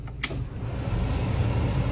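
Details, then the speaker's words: Old 1997 Daihatsu Feroza G2 being checked before buying: air-conditioning switched on with a click, engine holds a low steady idle without dropping or shaking; healthy idle, no vibration at body, steering or gear lever. "Nah, ini AC sudah menyala, tapi mesin masih stabil."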